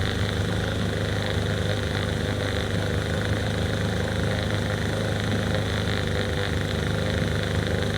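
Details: Small two-stroke outboard on an abandoned jon boat that had sat unused, run in water: steady, even idle burble with no misses or knocks; runs smoothly and healthy.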